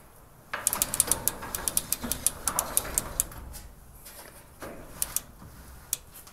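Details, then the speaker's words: Garage door with a pulley cable system after the pulley was moved off the side on a 3-inch bolt to stop cable grinding: quiet travel, light ticks from the pulley ball bearings, no grinding. "and that's the quietest the door has been in a long time you can even hear the ball bearings making noises as it"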